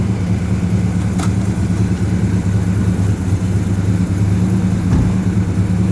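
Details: 1970 Pontiac GTO V8 after engine and transmission rebuild, first gentle test drive: steady pull with smooth drone, automatic shifts through all three gears and downshifts to first without slips, flares or clunks; normal shifting.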